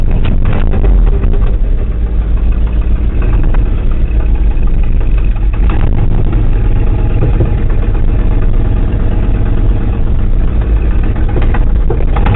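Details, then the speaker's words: 1979 Ford F-250 4WD with four-barrel, manual, over 180,000 on it, cracked exhaust manifold, just started cold at about 50°F: loud, lumpy low rumble with uneven beat sagging now and then; cold-blooded engine stumbling, nearly stalling. "Here. wanted to quit on me. It's still cold."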